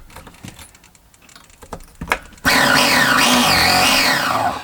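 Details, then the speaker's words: Nova B3 nitro RC engine, hot, after a rebuild of a previously seized engine: the starter whines loudly, pitch sagging and rising as it strains for a few seconds, then drops off. The engine is stuck again, a seized engine. "bloody thing stuck again right here we go here we go it's going to go this time it's going to fire I can feel it"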